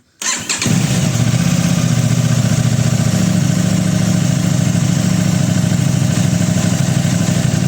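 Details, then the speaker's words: Aprilia RS660 right after an ECU remap and new front tyre, communication error codes cleared with a Texa tool: starter catches quickly into a steady even idle, no knocks or misfires, healthy. "I've cleared them all down, and it's all good now. Just going to start it up."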